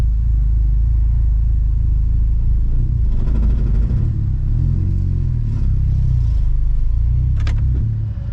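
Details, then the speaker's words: Chevy HHR SS pulling away in first after a new twin-disc clutch install; deep shuddering rumble surges unevenly as the clutch grabs and releases. Chattery clutch engagement, not driver-friendly. "oh and install it sounds like a chattery son of a not driver friendly"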